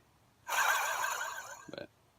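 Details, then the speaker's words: Hyundai Santa Fe removed failed AC compressor turned by hand: rough grinding growl then fading with a brief rattly tail; it growled while the clutch wasn't fully engaging, replaced with a Denso compressor. "the clutch wasn't engaged gene and it started to make a growling noise so then I decided I had to do something about it"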